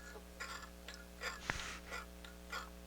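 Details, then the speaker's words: Pioneer QX-747 quadraphonic receiver volume knob being turned: irregular crackles and scratchy bursts over a low hum. The volume pot is dirty and really bad. "um the volume knob is scratchy and"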